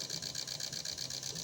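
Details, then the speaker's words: Injectors from a Chevrolet Onix LT 1.2 three-cylinder with power loss and bucking, on a test bench ramping RPM toward full: sharp, even clicking about six per second with faint hiss; pulsing normally while flow balance is checked. "Sí, va a ir subiendo las RPM y nosotros vamos a ir observando la ecualización cuando termine."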